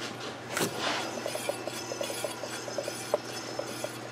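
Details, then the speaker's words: Chevy Epica wheel bearing checked by hand-spinning the wheel: light, even rub with faint ticks, no grinding; this one sounds healthy, best of all four, while others click and likely need replacing. "doesn't sound bad I think that's the best one out of all four"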